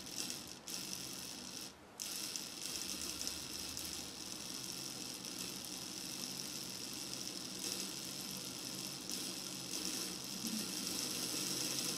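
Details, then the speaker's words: Older Hornby model locomotive motor being serviced, run at slow speed: faint high buzzy whirr with uneven rattle and brief dropouts; jerky running caused by a loose lead contact. "that's pretty because these ladies a little bit a little bit loose in the contact but I mean as you can see it's got reasonable amount of play on there"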